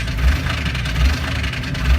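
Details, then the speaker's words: 1998 Jeep Wrangler TJ with a five-speed manual, started and given gas: the engine idles rough and heavy with a loud deep knocking about every 0.8 seconds over the low rumble. "i gonna get started up here you're gonna get a lot of gas here you'll hear that real cloud knocking"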